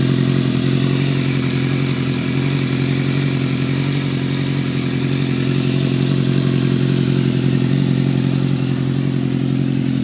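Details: Steady running engine on a GSX-R with a fairly regular light clatter, about four knocks a second, riding over the exhaust drone; a knock of unknown origin.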